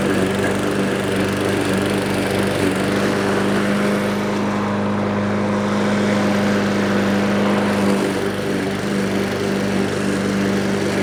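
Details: Troy-Bilt TB320 21-inch rear-wheel-drive self-propelled mower, Briggs & Stratton 725 series EX 190cc single-cylinder. Discarded and left for dead, now serviced with a spring put in. Steady, even drone holds speed under cutting load with no surging or misses: normal running under load.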